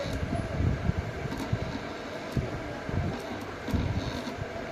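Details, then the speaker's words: Ceiling fan, windings tested with no short: runs but makes an uneven low rumble with irregular thumping knocks instead of a smooth hum, dry worn bearings needing replacement. "चल सही रहा है लेकिन आवाज बहुत कर रहा है।"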